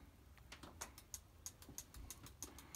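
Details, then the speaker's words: Husqvarna 572 XP Auto Tune chainsaw during a diagnostic auto test in a quiet room: crisp, sharp clicks about three times a second as the fuel solenoid actuates, a normal, healthy sound. Tool read 77 degrees. "all right so it's actuating the solenoid you can hear that clicking noise nice and healthy"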